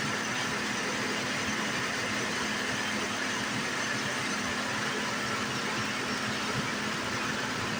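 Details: 2008 Saturn Vue, 3.6L V6, FWD, at first start after valve cover gasket replacement. Steady, even idle with a smooth hum and no ticks, knocks or hunting. Sounds as it normally does; normal and healthy.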